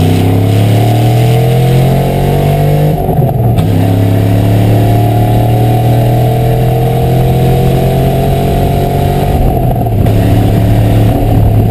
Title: 1996 cobra exhaust leak